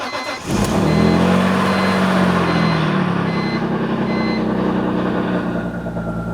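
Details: BMW E46 M3 six-cylinder on its first start after home-garage work, with rod bearings the worry: it catches cleanly and settles into a smooth, even idle with a chime beeping. No knocking, no leaks, sounds healthy.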